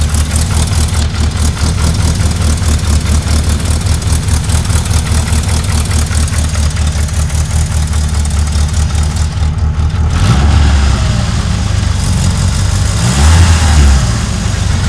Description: does my tranny need oil if its making this grinding noise?